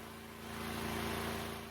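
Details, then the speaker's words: DuroMax XP12000EH 12,000 W generator under load after a new spark plug, oil change, carb clean (clogged main jet) and added breaker: steady hum at 59 Hz and 121 V, no hunting or surging; running good. "Right now it's running at 59, putting out 121 volts. The generator is running good."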